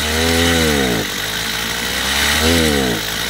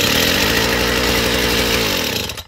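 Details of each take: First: Chinese two-stroke petrol brush cutter after carburetor adjustment, top speed set around 9,000 rpm: crisp revving up and dropping back repeatedly, picking up cleanly each time without bogging, running properly. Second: Chinese two-stroke brush cutter, cold, first start with idle screw opened too far before carb adjustment: fast even buzzing well above slow idle for two seconds, then cuts out. Idle speed too high.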